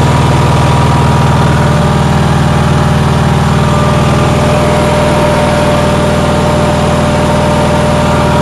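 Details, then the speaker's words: Onan generator, cold day: steady, even, fast drone running above normal idle. The owner says it idles too high; cause unconfirmed. "but anyways you you could hear how high it was idling so if anyone has any suggestions i am willing to hear any suggestions"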